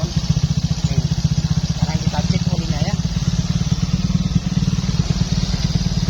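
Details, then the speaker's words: Used Fario 125 motorcycle, just started after the engine was split and rebuilt: soft, even single-cylinder putter at about four beats a second, described as very smooth. No tapping or misfires, a normal idle. "Oke, sudah hidup. Nah, ini untuk suara mesinnya sangat lembut sekali ya, Teman-teman."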